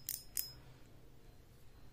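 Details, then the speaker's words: Okuma ITX 1000 reel drag clicker with a homemade spring fitted to make it louder: two sharp, bright clicks, crisp and clear in a quiet room; drag clicker working normally with a good loud click. "suara klikcker drag-nya Hanya seperti ini sangat"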